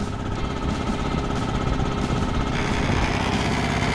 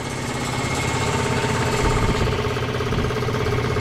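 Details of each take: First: Free scrap electric air compressor being revived: fast, even piston chugging at about two beats a second, no knocks or squeals. Runs smooth and super quiet. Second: Free scrap electric air compressor's twin-cylinder pump chugs steadily with lots of air hissing out and nothing on the PSI gauge; it runs but isn't building pressure yet (later reached 30 PSI).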